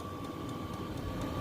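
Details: New 8kW all-in-one Chinese diesel air heater (5-litre tank) in a van, just after startup with cabin at 9°C; even fan whir, faint high whistle, soft fuel-pump tick about four times a second, running properly.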